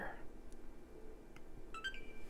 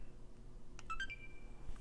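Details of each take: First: Xbox One S, apparently water-damaged, no-power repair: after 5V rail confirmed solid, power button pressed; brief electronic chirp then thin steady tone as it stays on, display output not yet known. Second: Apparently water-damaged Xbox One S after replacing a faulty buffer IC taken from a donor board: short clear electronic chime at power-on, console now starting up normally.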